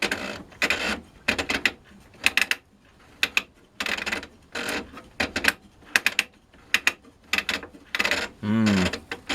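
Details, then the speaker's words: OKI ML321 Elite dot-matrix printer being reassembled: repeated short bursts of dry clicking and chatter with silent gaps as the mechanism fails to catch; broken gear teeth are suspected, not confirmed. "like sounds like in there it's not it's not catching it sounds like some of the teeth are broken right"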